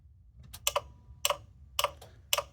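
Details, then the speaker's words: 1989 Ford F-350 7.3L IDI diesel, key on, engine off, all eight glow plugs reconnected and batteries reconnected: glow plug relay clicks rapidly in pairs, about two a second; controller may reject plug resistance, or logic board suspected failed. "because remember this works on Resistance that the resistance value is not what it's expecting it just starts clicking madly and you don't learn anything"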